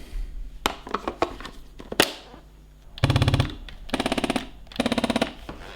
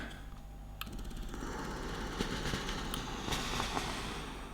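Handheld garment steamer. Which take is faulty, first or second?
first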